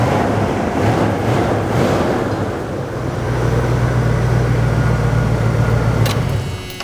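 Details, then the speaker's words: 1990 Dodge Ramcharger, revived after a relay and wiring rework and a steering shaft fix: it starts without long cranking and goes straight into a steady, even low idle with no stumble. A normal start with no special procedure. "special procedures or anything to try and start it. It just always starts."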